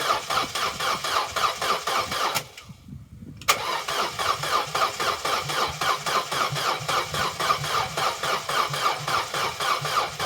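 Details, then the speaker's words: Corsa B left standing 4–5 years, one gallon of fresh fuel added, cranking attempt: even, sluggish starter chug at about four beats a second with no firing; slow cranking, no start; owner suspects the battery, unconfirmed. "it's turning over but it's not turning over as fast as it really should for when you're trying to start an engine I'm still thinking battery"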